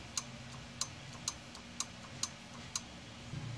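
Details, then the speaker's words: Mitsubishi 4D56 diesel with a cranking no-start complaint, ignition on, fuel cut solenoid connector plugged and unplugged: six crisp clicks about every half second; the solenoid is switching and working properly. "so when you connect this you should hear a clicking sound and if you don't that means your fuel solenoid is no longer working"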